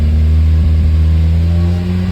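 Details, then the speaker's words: Mazda Miata with P0118 code (coolant sensor reading -40°F, essentially disconnected), after P0111 intake air sensor cleaning: steady hum near 3000 rpm with faint wavering and flutter, idle far too high from the faulty coolant temperature sensor circuit. "Stopped shaking, but it's still going up. Well, the dropping came back. Yeah, I think it's better now. That idle should be much lower, but I don't know."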